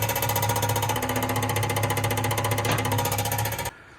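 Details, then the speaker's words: Lincoln engine, jump-started: steady rapid tapping tied to engine speed, something hitting at the flywheel shield near the transmission; owner plans to remove the shield to find the contact. "It just sounded like it was making that noise right there at that shield."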